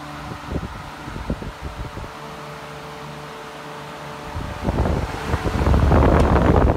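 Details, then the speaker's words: Hunter 12" special edition table fan from April 2004, not yet oiled, at full speed: steady motor hum with soft even beat about four per second and air rush; normal running at full speed. "it seems to be running this was like the it's full power but it could even go could even be more powerful than what I'm seeing right now"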